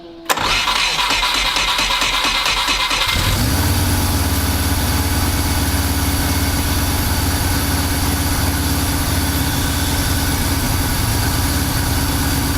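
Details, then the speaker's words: VW T3 Combi with swapped Subaru engine, first start: cranks a few seconds, catches, settles into a steady, slightly lumpy idle warming at 76 degrees; mixture reads about 12.5, far too rich. "Je vais faire 12,5 en gros. Beaucoup trop riche. Là je vais attendre qu'il chauffe, je suis à 76 degrés."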